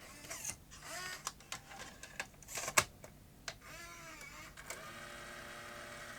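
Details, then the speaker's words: Sony BE-V8 8mm tape rewinder/eraser (1985), reassembled after repair, final test: brief soft shuffle and whir of the reel mechanism at power-up, then a steady light motor hum; normal and healthy. "Okay, that's it. Reassembled. Final test. You hear that little shuffle as you power it"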